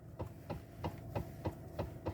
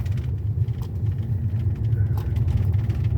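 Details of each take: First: 2013 Toyota Avalon, engine idling, inside cabin: dull knocks about three per second as the steering wheel is rocked side to side, worse when driving; failed electric power steering column damper coupler (45254-28040). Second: 2013 Toyota Avalon on a test drive over the same rough road after replacing the electric power steering damper 45254-28040. Low, steady road rumble with no knocking or rattle from the steering; the damper was the cause, not the tie rod or bushings.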